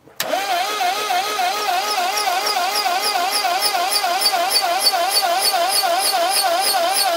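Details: Early Montego turbo (1980s MG Austin Rover) cranking with spark plugs out, not in gear: steady rhythmic turnover about three beats a second that never fires; no spark, traced to a corroded distributor cap.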